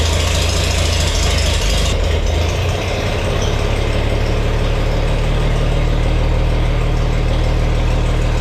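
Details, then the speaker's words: Farmall 460 tractor, rebuilt engine, just after installing electronic ignition and rotating the distributor to set timing: loud, steady low rumble settling into an even idle, no misfires or stumbles; sounds nice, though less responsive on throttle. "but if you don't gouge on it, it's it's pretty good and it sounds really nice."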